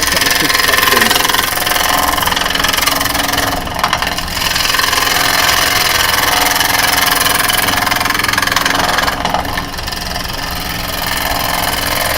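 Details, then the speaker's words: Woodturning lathe with a carbide tool facing an uneven, cracked blank. A harsh cutting hiss carries rapid chatter of about three taps per second as the tool bounces on the unlevelled surface; the bouncing stops once the face is smooth and level. "going to bounce a bit because of the unevenness. See, as soon as smooth, it stops bouncing. So, I know that's when I'm there."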